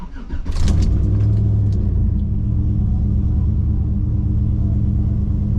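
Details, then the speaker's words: Gen 3 V8 in a driveway, after loading a new tune file with HP Tuners throttle cracker adjustments, still cold: engine catches and settles into a steady, deep, slightly lumpy idle, no knocks or misses; normal idle. "yeah, I mean, sounds good, feels good. So we'll let it get some temperature in it and we will go drive it."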